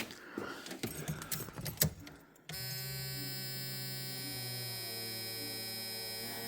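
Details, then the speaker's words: 1980s Ford Fox-body Mustang after new pump filter sock and tank reinstalled: steady high-pitched electric buzz holds evenly after handling clatter; fuel pump priming normally, building 6 psi. "Sounds to me like it's building pressure. Holy crap, we got 6 pounds of fuel pressure, which means the car will run."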